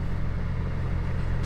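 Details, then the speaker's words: BMW E46 M3 idling after work on a misfire and idle problem: a short, deep, even rumble with no stumbles, skips or check-engine code. It sounds healthy and the misfire appears resolved. "that's good I think we might have resolved the miss the misfire issue"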